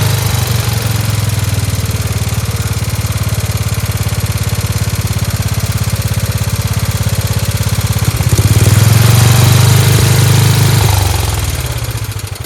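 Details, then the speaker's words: Free Dayton lawn tractor with 11 hp Briggs single-cylinder engine, running on its own after choking: quick, even firing, rising briefly then settling; idle a touch fast with a spring disconnected; runs cleanly, "like a hot rod." "It does sound like it's a little fast. There's a spring over there that's not connected. Thing's great. Sounds like a hot rod. Fantastic."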